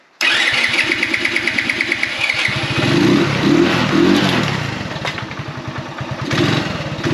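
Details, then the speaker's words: Motorbike "Vera" with a dead battery, started on a Topdon Jump Surge JS2000 jump starter with boost pressed and the fuel now turned on: the starter cranks at about ten even chugs a second, then the engine catches and runs raggedly, rising; choke then lowered. Normal start. "cool for such a little jumpstarter pack that's proper impressed me obviously it's a little tiny battery but it works"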